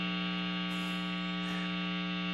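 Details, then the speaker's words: Jazzmaster guitar with stock single-coil pickups, bridge or neck-only position: steady buzzy 60-cycle mains hum through the amp, which single-coil pickups pick up; the middle position is quiet. "oh yes there it is our familiar friend 60 cycle hum Now 60 cycle hum basically happens on all true single coil pickups it is what comes in your stock Jazzmaster Jaguar Telecaster Stratocaster even P90s and a plethora of other you know iconic and legendar"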